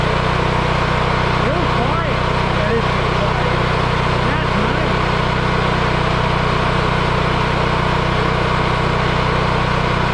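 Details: Yamaha EF4000DE generator running: steady even hum with smooth regular beat, no knocking or surging; runs cleanly, owner believes low oil shutoff from low oil had kept it from running.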